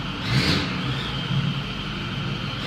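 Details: 2010 Ford F350 Super Duty 6.4L diesel revving with a raspy, hissy edge from exhaust leaks at both exhaust manifolds.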